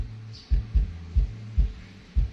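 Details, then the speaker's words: Polk Audio PSW125 active subwoofer amp board, repaired after a no-power, no-sound fault, tested into a speaker with volume raised: deep, tight bass thumps about twice a second under a steady low tone, clean, no rattle or distortion; working properly. "เราเร่งเสียงขึ้นนะครับผมอ่าความถี่หนักแน่นครับผมหนักแน่น"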